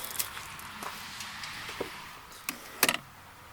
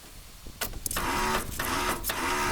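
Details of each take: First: Cub Cadet LX42 mower, Kohler engine, after replacing the starter: faint clicks, short crank, catches into steady even idle; new starter fixed the no-start. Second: Cub Cadet LX42 mower, Kohler 7000 series engine, key start with parking brake on: repeated high whirring bursts, engine not turning over; starter spins but motor doesn't turn, starter replaced.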